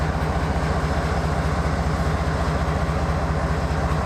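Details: Sidelined KCS ES44AC locomotive #4815 at Wenatchee, Washington: deep heavy diesel idle with uneven lumpy pulsing beat around two per second; rough idle.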